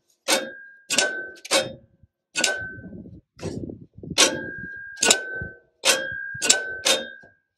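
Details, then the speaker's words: Cub Cadet HDS 2135 riding mower: PTO switch pulled, electromagnet energizes and pulls the mower deck clutch plate in with sharp metallic clicks and brief ringing; PTO clutch engages normally, though PTO later fails again, suspected electrical/safety switch fault. "So when I pull this, you should hear it click."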